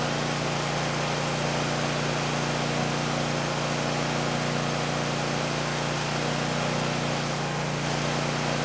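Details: 2019 Bad Boy Maverick mower with a Kohler 747 engine, near 100 hours, just serviced with new oil, oil filter, air filter, fuel filter and spark plugs; steady even low hum under heavy rain on a tin roof, no misses or knocks, idling smoothly.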